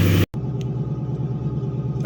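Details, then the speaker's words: Ford Expedition 4.6L/5.4L V8 running after belt tensioner replacement that cured a pulley noise; smooth even low rumble with no squeal, chirp or rattle, accessory drive spinning smoothly. "all right come back one more time take a look make sure everything's spinning the way it should be nice and [Music] smooth"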